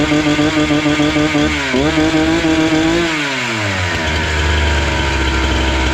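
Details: Husqvarna 268 two-stroke chainsaw, which stalled once warm and would not restart, after carburetor screws were set about 2–2.5 turns out: it blips up, drops back and settles into a steady, even idle without hunting or stalling. Normal idle.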